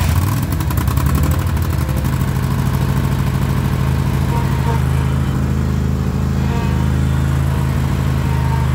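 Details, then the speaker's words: John Deere mower after the start switch was rewired and the transmission disengage lever pushed back in. Smooth, even drone with a steady low hum and no misses or knocks. Runs, drives and cuts normally. "Rewired the switch, starter's good, and she drives, runs, and cuts."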